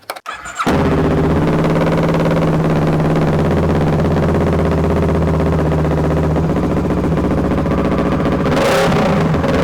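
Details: Kawasaki ER6/Versys 650 with charging fault, first start after replacing a burnt-out wiring connector: catches quickly and settles into a smooth, even idle with no misfire or stumble; normal start and idle.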